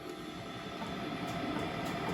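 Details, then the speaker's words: 1950 Wadkin RS8 pattern maker's woodturning lathe running at 44 Hz, about 1,300 RPM: steady motor hum with fast, even ticking as the belt joiner passes the pulleys; normal for these old lathes. "And so you can hear that ticking that's constantly running there. But that is a feature of uh of these old lathes that you you get this constant sort of ticking noise."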